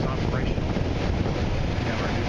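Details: Goodman system blower after replacing a weak capacitor with a new 15 µF one: steady rushing airflow with an even low hum and no rattles or squeals; blower motor running smoothly and normally.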